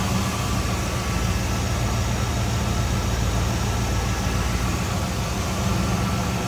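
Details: 1978 Chevrolet Camaro 305 V8, warmed up off high idle, heard from engine bay with hood open: deep, steady burble, even pulses, no knocks or misses; engine sounds healthy.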